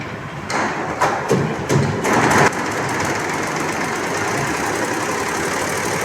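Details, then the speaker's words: Unix embroidery machine after a new shuttle was fitted and timed at 16, threaded with bobbin in: a few uneven bursts, then steady fast stitching chatter; now runs evenly, whereas before the thread broke immediately. "अभी थोड़ा बराबर चल रहा है, पहले तो तुरंत धागा कट रहा था।"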